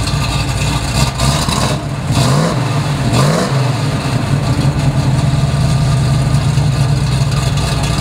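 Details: Restored 1969 Chevrolet Camaro RS/SS, 396 big-block V8, 4-speed, Flowmaster dual exhaust, at start-up: deep, lumpy burble with a couple of quick blips, then settling into an even, steady idle; healthy and strong.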